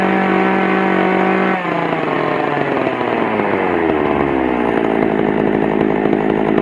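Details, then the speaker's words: Pioneer P41 two-stroke chainsaw after carburettor cleaning and adjustment: revs cleanly, settles into steady crisp idle with no stumble, starts very easily; normal running. "but it sounds good and it starts up really really easy"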